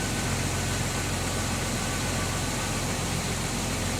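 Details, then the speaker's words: Jeep TJ first start after mostly reassembling, coolant being filled with heater on: steady low idle with slightly uneven loping beat, sounding better as it runs; owner suspects old gunk burning out. "it's sounding better as it's running. Yeah. Burning out all the gunk that's been in the engine all this time."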